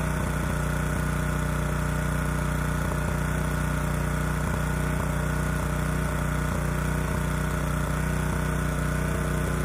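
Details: Honda EG2200X generator, early-to-mid 1990s, no load, running rich, after carburetor cleaning with low-speed mixture screw reset to 1.5 turns out: steady drone with an uneven, irregular pulse about three times a second, struggling and not smooth; air cleaner ruled out as a restriction; cause unconfirmed.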